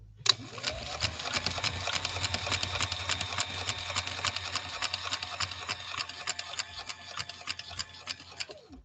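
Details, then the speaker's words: 1965 Viking Husqvarna 2000 sewing machine after restoration, sewing in slow gear at a lengthened stitch; steady needle-bar ticking about 3.5 stitches a second over a faster motor hum from gear reduction; smooth, even normal running. "i also want you to listen to the harness sound of it being held back by that gear reduction you're going to be able to hear that the motor is running faster than the machine and that's the function of that gear down process"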